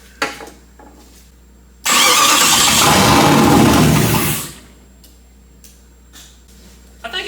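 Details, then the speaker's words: Chrysler 318 V8 from a Grand Cherokee mated to an AW4 transmission in a Jeep TJ, first start on starting fluid with the fuel pump wire disconnected. Roars for about 2.5 seconds then quickly dies, running out of fuel. "good I think it's just running out of fuel really really quick cuz I heard everything click like it was still telling it to be on"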